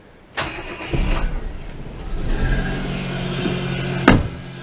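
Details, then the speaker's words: Daewoo Matiz first start after fitting new HT leads and air filter: a couple of quick cranks, then it catches cleanly into a smooth, even idle; sounds good, though a bit belty; healthy start. "there we go that sounds good it's a bit belty down there"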